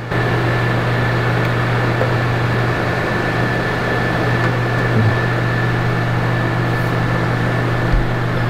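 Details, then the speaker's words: RV air conditioner running fan only: steady fan hum and airflow with a faint whistle, no compressor kick-in; compressor not starting, suspected bad control board or capacitor, not confirmed. "Capacitor ain't come on yet. I mean, compressor ain't come on. Yeah, I didn't hear it come on either, so that's a good sign."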